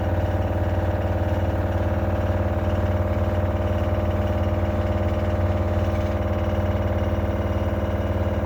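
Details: LG washer-dryer CV5011TS4, less than a year old, on the spin cycle: a steady low hum with an even thump about four times a second; the owner suspects a failed or loose shock absorber.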